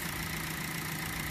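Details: Hyundai after battery sensor/negative cable replacement for intermittent flashing battery light, new battery and alternator, charging around 14 volts: smooth, even idle with steady low rumble, no knocks, ticks or misses; engine healthy.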